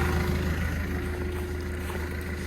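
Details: Develon DD130-7 dozer diesel during an engine oil change service, started just after bleeding the fuel: smooth, even idle with no knocks or rattles, running like a sewing machine; healthy.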